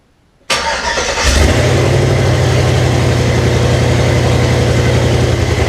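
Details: 1998 Jeep Cherokee XJ with swapped 2005 5.3 LM7 V8, 706 heads, LS1 intake, 4L60E, reprogrammed computer; first start, no transmission fluid yet; catches after short crank into uneven lumpy wavering idle, runs rough, cause not yet clear.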